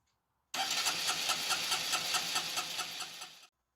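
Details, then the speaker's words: Honda 125 that misfired under load and would not rev cleanly from idle to full throttle: rough, uneven revving with stumbles. The fuel injector was clogged by a cloth-like debris piece, spoiling its spray pattern. "And all this, it was blocking the fuel, causing such a bad pattern, and the bike was just not pulling because oh, look at that, that's huge."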